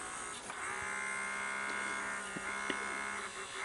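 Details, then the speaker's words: NEC VC-N70EU Beta HiFi VCR: loading motor spins with a thin steady whir and faint clicks but tape won't thread or eject. Suspected worn loading motor, then owner leans to a loading belt issue and swaps the belt. "where i was able to get it to thread partially you know and of course now it won't but let me show you see uh the motor basically just uh spins"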